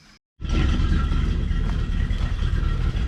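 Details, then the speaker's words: 1987 Coachmen Class A motorhome big-block engine idling after exhaust manifold repair: deep, steady, even low rumble, no puffing or ticking at the manifolds. Normal idle. "which sure sounds like a big block doesn't it that is definitely still coming out of the back let's just hope it's not coming out of the front"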